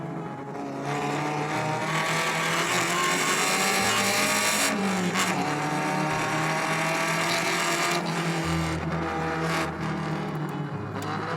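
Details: Alfa Romeo Spider 105 Veloce with a restored, fully rebuilt 1750 four-cylinder, driving on the road: a steady, even note pulling smoothly under tyre and wind noise, with no knocks or misses. Normal running.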